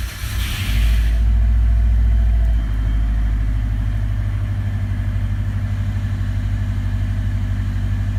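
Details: 2009 Subaru WRX STI, stock, 138,000 km, fuel regulator recently replaced, battery tested fine, 40°C ambient: after sitting overnight a brief crank, then it fires with a loud flare into a slightly uneven idle; hard cold start only, fine once warm, cause unknown.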